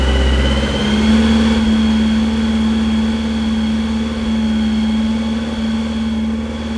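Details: Brand-new 2332cc air-cooled VW Manx buggy engine, dual Weber carbs, on startup stand, first start: catches and settles into steady fast idle around 2,000 rpm for first break-in, no knocks or misses; healthy.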